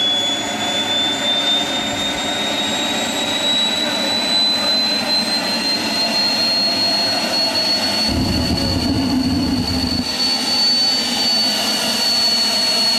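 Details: Homemade jet engine (gas turbine) built from a turbocharger, propane-fuelled student project from May 2005: steady high turbine whine slowly climbing in pitch, roaring rumble cutting in as the afterburner lights; running properly.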